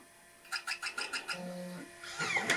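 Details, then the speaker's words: Macintosh SE/30 floppy drive after restoration, trying to read a disk: about seven quick head-step clicks, a short hum, then a harsh rising motor grind; possibly non-working drive, motor may need replacing. "oh yeah it it tries to read the disk but the motor has a awful awful sound um this may be a non-working drive after all that effort"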